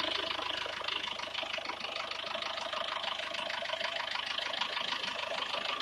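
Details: SsangYong Actyon engine at idle: a fairly regular ticking-knock runs over it at roughly two a second; the cause of this foreign noise is not pinned down. Abnormal engine noise at idle.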